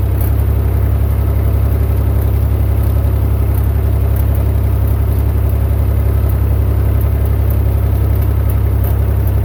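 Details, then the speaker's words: Massey Ferguson 35 Perkins diesel tractor after a $130 low-cost rebuild (cylinders honed, head cleaned, new gaskets after bad pistons were found), test drive in second gear under load: steady, even diesel thrum, no misses or knocks; now runs without smoke and with plenty of power. "to get it from not running smoking weak on power to now running not smoking and got plenty of power for what I need"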